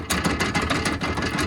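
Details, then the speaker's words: 2019 Polaris RZR XP Turbo 4-seater factory doors: rapid metallic clatter about seven bursts a second when door rocked by hand; loose, low-tension wide-clearance hinge pins, fixed with bolts and nylon washers. "so i hear this constantly all four doors do that all four doors make that obnoxious"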